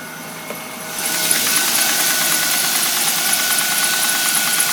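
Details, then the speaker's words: Engine at fast warm-up idle, heard through the closed hood, not audible with it open: thin high steady whistle that disappears once warm-up revs drop, then runs quiet. "Через закрытый вот слышно прям вот этот свист. Все, пропал. Прогревочные обороты упали, свист пропал."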